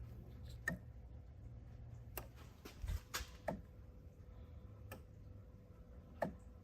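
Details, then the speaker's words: 2011-2012 Ford F-150 3.5L EcoBoost, 276,000 miles, hard brake pedal/ABS DTC C109D, heard at front of vehicle: few sharp irregular relay clicks with no motor whir; electric brake vacuum pump seized, needs replacement. "it comes on, just doesn't do anything at all. It's definitely ready for us."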